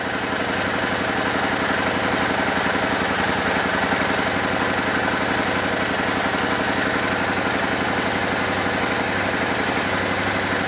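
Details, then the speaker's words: Old Suzuki Boulevard V-twin, sat for years, after vacuum synchronization: smooth, even idle with steady loping beat and crisp throttle response, no misses; carbs synced and in tune. "right, that sounds good. Nice crisp throttle response. Everything synced and in tune."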